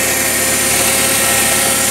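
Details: Toyota 7FGU25 forklift after no-start repair: faulty regulator solenoid that would not pull its plunger to pass gas from tank to primary was replaced with new regulator; engine now runs at a steady, even speed with constant hum and hiss, no knocks or misses; normal running.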